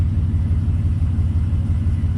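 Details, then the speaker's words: V8 truck idling after fixing a cylinder-four misfire traced to the pressure regulator port at the cylinder four intake runner: deep, even rumble, no misfires, running on all eight cylinders. "all right team check it out thing of beauty no misfires we're running on all eight that's the first time I've seen that"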